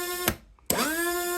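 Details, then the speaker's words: Rebuilt Rotax actuator motor from a Rover gas turbine. Clicks, then a hum rising to a steady pitch before a clunk. The odd noise is because the brake screws were backed right off. "Now, the reason it's making that funny noise is because I've had to back this right off."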